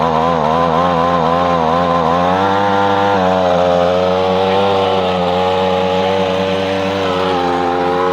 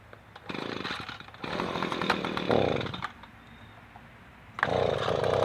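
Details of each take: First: Echo PB-250LN handheld two-stroke blower after fuel line repair: winds up with a rising buzzy tone, then holds a steady even drone; runs well after about a minute's warm-up. Owner reported weak blowing. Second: Echo PB-250LN two-stroke leaf blower after broken fuel lines were replaced and the carburetor taken down: roars in bursts at full throttle with pauses and runs steadily. Owner is unsure whether it is as strong as it should be; possibly low power.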